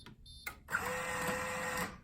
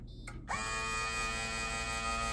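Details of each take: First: Coinco bill validator powering up after its sensors were cleaned: brief steady motor whir of about a second, then quiet with LED on; normal start-up. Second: Coinco bill validator: at start-up a steady, strained high-pitched motor whistle for about two and a half seconds as the drive motor tries but fails to run, then the stacker goes; bad drive motor needing repair.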